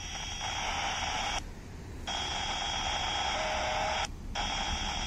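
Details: Radio receiver on GB3IR's output frequency near the Tesco Catterick Garrison entrance: a constant high whistle and hum with a distinct howl over hiss, cut off twice briefly; the interference seems to come from the store, source unknown.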